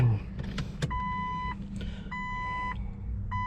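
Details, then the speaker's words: Key-on chime beeps over a faint steady low hum from the tank: fuel pump priming normally before cranking, new battery fitted; owner suspects the just-installed Fel-Pro head gasket didn't seal as the engine almost starts but won't run. "you hear the the uh fuel pump priming so that's a good thing"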